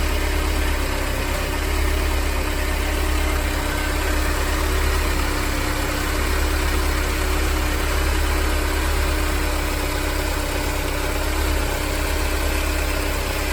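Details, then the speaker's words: Mercedes-Benz W201 190E 2.0 (M102) idling after replacing belt tensioner, damper, adjuster bracket and belt; smooth, even low hum, earlier rumbling noise gone, no squeal or rattle from belt drive; normal idle after repair. "エンジン動作時にあった異音はなくなり静かになりました。"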